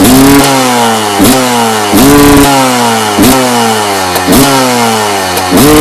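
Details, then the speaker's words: 1990 Honda CR250R two-stroke with new plug and some carburetor work: each throttle blip revs up then chokes off and drops back, won't come on the pipe; owner suspects HPP power valve not opening or carburetor problem, unconfirmed; bog on acceleration. "I got it lit it doesn't it doesn't come on the apartment like I supposed to kind of chokes off so I'm gonna start the HPP valve may not be opening it could be a problem the carburetor"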